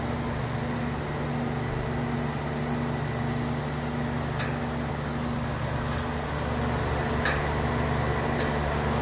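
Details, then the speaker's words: Older air conditioning unit at a house, running: steady hum with sharp metallic clanks every second or so; clanging noise, needs service. "The air conditioning is on, but you can hear a clanging noise, so it definitely needs to be serviced."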